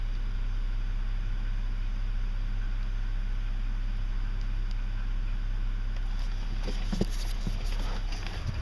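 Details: 2006 BMW 330i E90 at idle: deep drone with slow, uneven, diesel-like tapping; knocking began on cold starts six months ago and now occurs all the time; source not pinned down.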